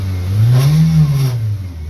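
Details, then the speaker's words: Car with overdrive shifting hard into fourth: deep droning roar swelling and fading with road speed under acceleration, felt as a buzz in the car; vibration cause not yet diagnosed. "you can hear that roar like the vibration almost a buzzing noise you can feel it in the car which is what's crazy"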